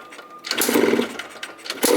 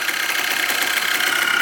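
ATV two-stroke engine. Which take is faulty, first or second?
first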